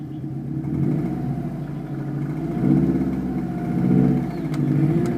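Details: 2006 Subaru WRX driving under light load around 1500 RPM: low rumble with fairly loud tapping in time with revs, disappearing above 2000 RPM; engine burns much oil, possibly run low on oil; owner suspects rod knock, unconfirmed.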